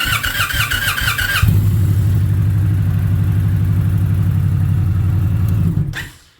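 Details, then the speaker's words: 2021 Indian Challenger, about 50,000 km: starter drags the engine slowly, about four labouring turns a second, before quitting, where it used to fire straight up; suspected slipping starter torque limiter gear, to be replaced. "it always used to run just boom, straight fire up, but now it's got that drag."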